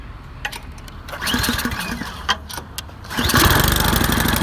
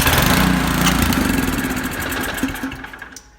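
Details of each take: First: 24-inch Powersmart snow blower, near new, after cleaning a clogged carburetor jet/air bleed from old gas: catches after a few pulls, choke fully off, holds steady even speed; no longer surging. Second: Nearly new 24-inch Powersmart snow blower that sat with old gas in it; float bowl cleaned, no success. After priming, the engine catches and chugs briefly, then fades and dies within three seconds, running only on primer fuel: a clogged carburetor.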